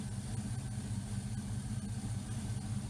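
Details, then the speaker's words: 1979 Firebird with 5.3 V8 swap and Powerglide, after ICT billet relocation kit and new injectors; deep even burble with steady low pulse, no misses or ticks, smooth healthy idle. "Other than that, this runs great."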